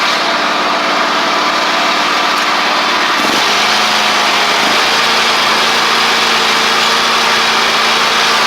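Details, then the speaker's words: Ferris stand-on mower, Briggs OHV twin, ridden down the driveway after repair: loose intake pushrod guide bolt had thrown the pushrod causing a one-cylinder misfire, pushrod unbent and refitted, valve gaps fine; steady, even drone dropping in pitch as it moves off, no misfire. "Looks good. Pretty simple fix there, guys. Luckily, it was just the intake push rod valve guide bolt. Came loose enough to where it threw the push rod off."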